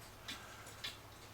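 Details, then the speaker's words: Citizen battery-powered cuckoo clock, movement jury-rigged with power to the motor and held level after not ticking; crisp even ticks about twice a second, running steadily; movement likely still needs cleaning, plastic gears suspected possibly worn. "so now I need to hold that on there level the clock oops and it seems to keep ticking this way"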